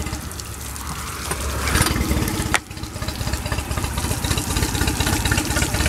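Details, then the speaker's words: 2008 Tohatsu 9.8 hp four-stroke outboard after pull-start: steady, even putter around four beats a second at idle, healthy, very quiet and fuel efficient. "it's very fuel efficient and very quiet"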